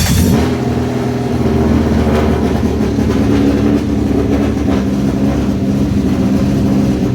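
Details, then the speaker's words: Rapid Rattler car, first start after cam belt change and cam timing set to 133 inlet, 120 exhaust: catches and holds steady even run with firm low drone, no knocking or misfires; normal running. "It runs, Phil. Yeah. So as you can see, it still runs."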